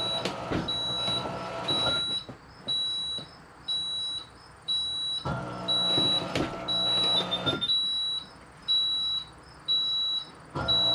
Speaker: Okay, but the beep beep says, hey, we're good to go.